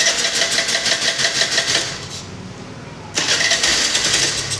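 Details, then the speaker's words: TVS Scooty Pep+ starting problem, before repair, after plug spark confirmed and adapter reseated: engine catches and buzzes briefly, dies after two seconds, fires again, repeatedly start-and-stall. Mechanic suspects air filter or carburetor next. "ఆగు on అవుతుంది ఆగిపోతుంది on అవుతుంది ఆగిపోతుంది so on అవుతుంది ఆగిపోతుంది"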